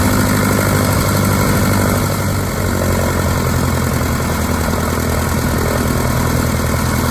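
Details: 1946 Piper J-3 Cub, first start of its new engine on the airframe, three years after its test-stand run but turned over weekly: even, steady low drone with a smooth, unbroken firing beat and no misses; idling cleanly.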